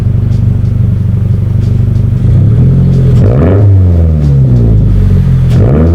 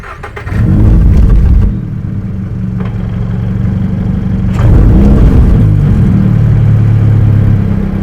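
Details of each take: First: 2022 Subaru BRZ with Tomei Expreme Ti catback, revved gently after repair of its exhaust problems: deep steady burble at idle, then two clean throttle blips rising and falling smoothly with no rattle or knock; normal exhaust note. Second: 2022 Subaru BRZ with a Tomei Expreme Ti catback exhaust, started and revved: a dull knock about four times a second under the exhaust note, from the pipe hitting the suspension spring. The noise is worse when driving.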